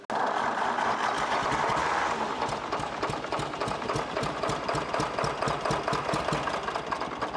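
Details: 1964 Lamborghini R2 tractor diesel after priming an injection pump that ran dry, air bubbles suspected: clatter at about four beats a second, uneven at first then settling steadier; running normally after no-start.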